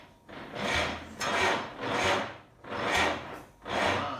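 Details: 1947 GMC engine being started with throttle slightly open: slow, labored cranking about once every 0.8 seconds that never catches; sounds like a dead battery, owner suspects starter not spinning it fast enough. Cause unconfirmed.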